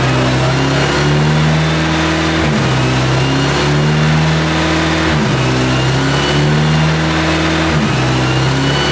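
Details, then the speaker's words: Freshly rebuilt KA-T engine: steady low drone with a slow rise and dip, settling into an even idle that sounds healthy; normal idle. "so when we first started it up I guess the uh the air control valve was not plugged in I think it wasn't plugged in for the other first start but we got that good it sounds like it's running really good"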